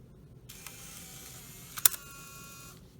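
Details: 2004 Saab 9-3 Clarion CD unit on the bench, powered directly: soft motor whir about two seconds with a firm click midway as the disc is pulled in; loader working normally.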